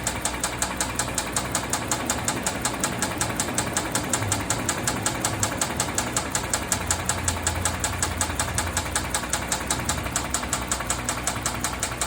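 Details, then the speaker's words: 2014 Hyundai Santa Fe 3.3L V6 idling with a sharp, even knock from the bottom end, about 160 per minute; rod bearing failure with a worn crankshaft and 4 of 6 rods badly damaged, later fixed by grinding the crank. "e because it was making a a noise while it's running was a knocking a noise coming from the bottom of the engine can hear that that's the sound of a Dying horse it had a a messed up crank bearing"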